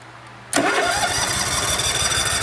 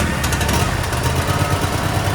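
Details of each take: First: Cub Cadet RZT SX EFI zero-turn mower with the old relay plugged back in for testing: starter churns about three to four turns a second for four seconds and never fires; confirms a bad relay, since it starts with the new one. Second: Cub Cadet RZT SX EFI zero-turn mower, 202 hours, 11.9 V shown, that cranked but wouldn't start; after replacing a bad relay it fires right up and settles into a steady even low thrum with no misses or stumbles.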